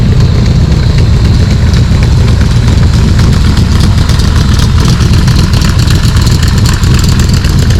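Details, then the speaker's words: Cobra V8 with Holley Sniper, Isky cams, ARF cylinder heads and a fresh tune, just over 100 miles, idling in the driveway: deep, loud, slightly lumpy burble holding steady, with no ticks, knocks or misses. Normal idle. "I'm going to roll it out in the driveway so you can listen to it run, and you'll notice there's no wheel chocks under the car because the parking brake finally works."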